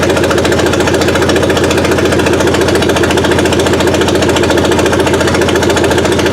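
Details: Suzuki Sidekick with a swapped-in 16-valve engine on its first run, timing set near 8 degrees BTDC. A fast even firing beat with a steady throb and no misses gives a smooth idle.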